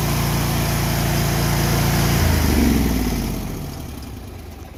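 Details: Bad Boy ZT Elite zero-turn mower, 747cc Kohler 7000 Series twin, after starter replacement for a no-start: holds an even, steady idle, then shuts off and coasts down smoothly; engine sounds healthy.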